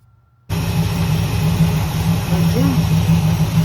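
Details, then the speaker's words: 1968 Chevelle V8 after a broken pushrod repair and engine flush: a steady, even idle with a smooth low burble and no valvetrain ticking or knocking. Finding: normal, quiet idle. "Take two. Running quiet, isn't it?"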